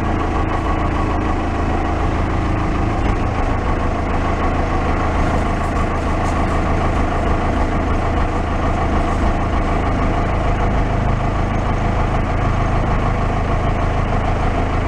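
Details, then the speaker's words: Case 580 backhoe diesel that had been sitting, started warm without glowing: steady, even idle chug with a deep low rumble and no knocks or misses. Normal diesel idle. "if it'll fire up i don't think we have to do anything it's warm enough we should have to glow it if it has glow plugs see we get it starts nice"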